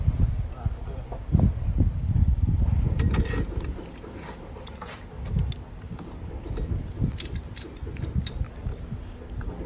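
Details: 2005 BMW X5 A/C compressor, removed from the car, pulley spun by hand with the mic held close: a low rough rumbling whir with faint clicks as it coasts, from worn compressor pulley bearings.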